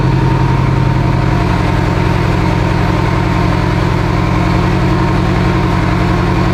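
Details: Evo 8 engine for an 800 whp build, restarted after coolant top-off with oil pressure, AFRs and fuel pressure good: steady, even idle with a smooth low pulse and no knocks or misses; normal idle.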